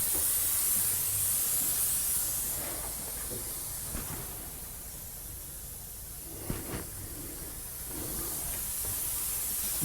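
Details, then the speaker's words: 45-year-old Vauxhall Royale coupé, 2.8 L, rebuilt engine on first test drive after cam run-in: loud steady hiss with surges and clicks, coolant blowing from top hose. Owner unsure: overheating, pressurizing, or just the clamp. "Yeah, I think it's pressurizing. [Music] [Music] blowing out that top hose."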